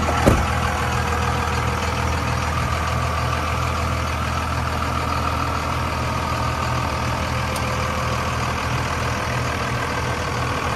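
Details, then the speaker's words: 2002 Dodge Ram 2500 4x4 with 5.9 Cummins diesel, six-speed manual, 113,320 miles: starts at once and settles into a steady, even diesel idle with a clean rhythm and no knocks; sounds healthy. "let's go ahead and fire this five nine up so we can hear it start"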